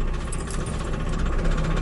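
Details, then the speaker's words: Trabant 601 with a flea-market two-stroke engine that had just seized: rapid, hard rattling knock over a rough two-stroke beat, steady throughout, from crankshaft bearing failure. "Der Motor ist blank. Lagerschaden."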